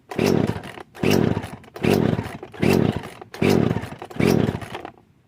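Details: Poulan Pro chainsaw after new carburetor, fuel lines, fuel filter and air filter: six sharp throttle blips about a second apart, each revving cleanly and dropping back, then shutoff; crisp, healthy, normal running.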